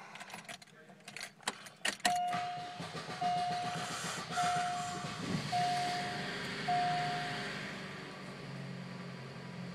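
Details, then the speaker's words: 2005 Suzuki Forenza: repeated warning chimes and a long crank before the engine catches and settles into a steady run; owner suspects fuel pump, fuse or relay, cause unknown: hard start. "okay this is my 2005 suzuki forensa and every time i try to start it it goes idle it don't start up right away"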